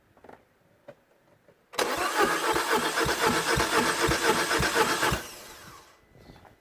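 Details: Citroën DS3 1.6 VVT petrol (5FS) that cranks but won't start after head work following a broken oil pump or timing chain; even cranking at about four beats a second, slightly soft and uneven, while gauges read around 75–80 psi: low compression.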